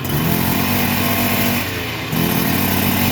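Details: Baja AF28 (Thai-market scooter) with a fully built 44 mm engine on the stock carburettor, engine still cold: two throttle blips, revs climb slowly and heavily then drop back, bogged not free-revving; noise from the fan/pulley side, incomplete tune suspected.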